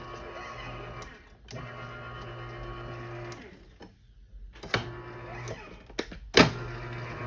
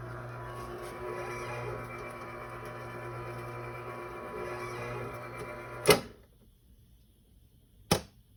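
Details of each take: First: Garage door opener after replacing a burnt-out motor capacitor, closing: motor hums in steady runs with short stops and a faint squeak over the travel; squeak source unclear. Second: Garage door opener after fixing the motor's start capacitor, which caused a start delay: steady low motor hum about six seconds then a firm clunk at stop; runs normally with no delay.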